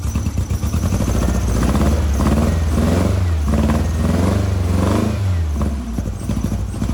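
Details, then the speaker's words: 1956 VW Bug flat-four, twin replacement 40mm IDF/HPMX carbs: lumpy uneven thrum wavering as revs rise and fall, only two cylinders firing on the passenger-side carb while the driver-side carb is fuel-starved with adjustment screws disconnected. "well she's running she ain't running good and i don't really recommend doing this but just for example i still have nothing going on on any of the adjustment screws over here on the driver's side carburetor"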